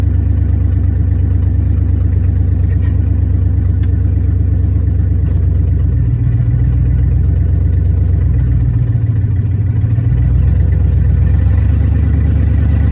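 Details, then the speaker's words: 1994 Chevy C3500 dually with a swapped LQ4 V8 on open headers with no exhaust yet, fluids bled. A loud, lumpy, uneven beat that misses and stumbles at low speed, a rough-running misfire; the owner suspects an injector wiring issue. "Still running really crappy. It seems like I've got a wiring issue with the injectors."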